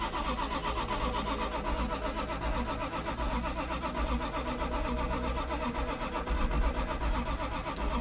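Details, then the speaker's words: Toyota Supra sitting since 1995, cranked with starting fluid: starter turns slowly and unevenly with weak firing pops that never catch; cranks but won't start, starter getting hot. "It's so close, you guys. Starter cool off. We almost had it. It was starting to make that. It's trying."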